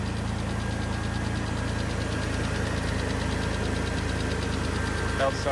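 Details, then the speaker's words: Mitsubishi 3000GT idling after a belt retension and idler pulley tightening following belt and pulley trouble since an alternator replacement; a light, regular tick about three per second, which the owner attributes to a lifter. "There's that ticking noise. So that's the lifter."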